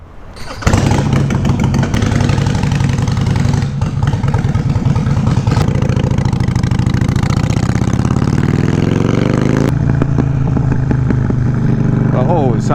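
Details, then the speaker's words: 2007 Harley-Davidson Sportster 883 Low V-twin with newly fitted LAF drag pipes: fires into a loping idle, revs rise and fall, and sharp pops crackle from the pipes like shooting flames; exhaust popping. "like she's shooting sound like she's shooting flames definitely popping I don't think the pop is a good thing though"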